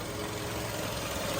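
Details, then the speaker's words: 2008 Volkswagen Golf 5 1.6 MPI, petrol/LPG, 167,000 km, belt changed at 126,000 km, idling: steady, even hum with no knocks, misses or ticks; engine quiet and smooth, no misfire, no smoke, compression good. "Мотор працює тихо рівно не троїть не димить компресія есть"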